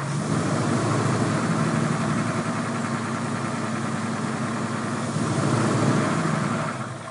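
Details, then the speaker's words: Ford 302 small-block V8 that sat six months, started about a year before teardown, smoking heavily; rough idle with hard, fast tapping chatter, almost diesel-like, from one deeply gouged cylinder wall and damaged piston, likely from overheating. "and you can really hear the chatter the tap tap tap tap tap almost sounds like a diesel motor"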